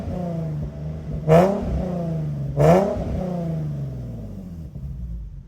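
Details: Infiniti G37 with burble tune and high-flow cats: two quick revs over a loud raspy idle; exhaust leak at the manifold-to-cat gasket, before repair with custom flat gaskets.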